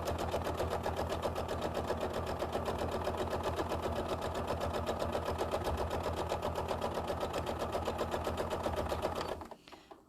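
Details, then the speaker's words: Sewing machine stitching quilt-as-you-go blocks with 12-weight thread: steady quick ticking, nearly four stitches a second, as the needle taps through batik fabric stiff with sizing and leftover wax. "I can hear it tapping can you hear that Emily I really like that that's the sizing in the batik fabric sounds like when you when you stitch over place"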